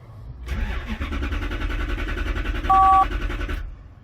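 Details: 1993 Lexus SC400 4.0, 105,000 miles: cranks steadily about three seconds and never fires while the red/green fuel pump control wire is probed; no signal, the ECM is not driving the fuel pump.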